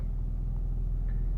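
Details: 2004 Infiniti G35 that cranked but would not start (codes P0430, P0335, P0345) and was possibly flooded by repeated cranking, running after the faulty bank 1 camshaft sensor was replaced: a smooth, even low idle with a regular beat and no misses. Normal idle.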